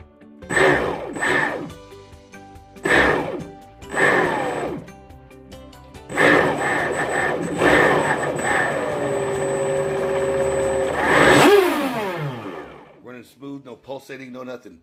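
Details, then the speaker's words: Rebuilt brushless motor with new bearings in a Rampage Twin Cat RC boat, bench test on two 6S batteries without hard revving: quick blips, an even high whine and a clean spin-down; motor runs smoothly. "We're just going to see how it sounds. Perfectly smooth. Sounds good."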